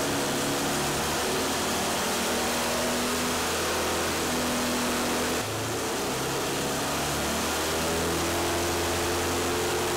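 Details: Modified Pontiac Fiero 2.5 Iron Duke, now about 3.0 L (186 ci), naturally aspirated, custom cam, 500 cfm 2-barrel; on dyno, steady idle then clean rise in revs with no knocks or misfires; healthy.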